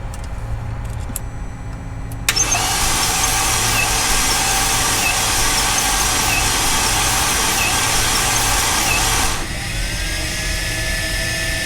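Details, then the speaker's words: 2008 Mercedes CLK350 M272 V6, water-damaged, previously locked engine, during compression test; slow even cranking about three beats a second for seven seconds without firing, battery barely alive; slow cranking. "oh that's 60 on this one that's something new Also the battery is barely alive"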